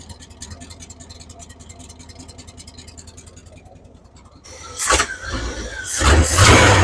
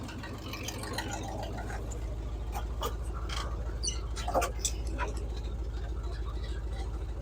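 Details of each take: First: 1978 Chevy K10, 305 cu in small-block V8; valve tick gone but uneven loping idle with throttle blips, timing seems far advanced; vacuum leak, miss or timing suspected, not confirmed. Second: 1978 Chevy K10, 305 small-block V8, after valve-train and ignition work, carb bowls primed, new inline fuel filter: low, even idle rumble, no miss or stumble; normal idle, thermostat possibly sticking.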